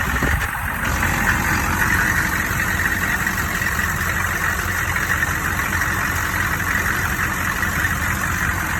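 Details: Engine idling with an odd high-pitched banging: steady sharp metallic clatter over a high ringing tone; suspected cracked flexplate or loose crank bolts, unconfirmed.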